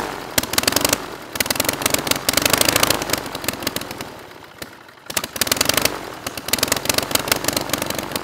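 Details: Rebuilt Praga B2 aero engine, last run 1939, on homemade Vauxhall-mounted rig with homemade propeller: loud, uneven popping beat slowing and stumbling toward the end; rough, shaky slow idle while the idle mixture is being adjusted.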